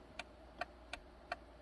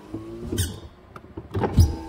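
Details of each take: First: 2007 Honda Accord SE, key on: crisp relay clicks with no window motor whir for the three non-working windows; failed master switch not grounding the power window relay. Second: 2007 Honda Accord SE with a failed master window switch: the driver's window runs auto up normally with a steady low motor hum between clicks and thumps, while the other three windows don't work from any switch.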